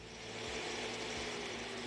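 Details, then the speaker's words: Carico Clean Machine steam cleaner with steam off and vacuum on, switched between speeds from the handle: smooth, steady whirring with a constant mid-pitched tone and no surging or rattles. Normal running at medium speed. "we'll hold the button to change the speed now we're on high speed lower"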